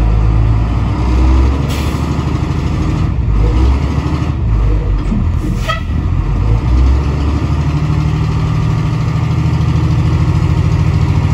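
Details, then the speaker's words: 1988 International/Thomas school bus diesel, sat in a junkyard for years, after freeing a stuck governor, air built to 120 psi, under load spinning tyres in mud, outdoors: deep, steady rumble, no missing or knocking; engine runs well. "the good news is you know we got the governor freed up and she built air pressure she runs great fires right up"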